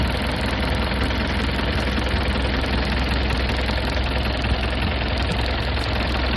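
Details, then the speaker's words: 1996 (BE 2539) Isuzu NKR 110 hp six-wheel truck diesel, for sale with engine described as good: deep, even rumble with no uneven knocks or rattles; healthy, steady-running engine. "ทุกท่านมาฟังมีเสียงเครื่องกลับนะครับเดี๋ยวมาฟังเสียงกันม.ค"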